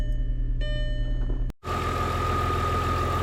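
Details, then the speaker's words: 2005 VW Passat B5 2.8L after Bosch 5.7 ABS module repair and clearing faults: engine settles into a steady, even, smooth idle with a faint constant whine and no knocks, apart from a little clang from the chains; no ABS light. "okay sounds nice and smooth"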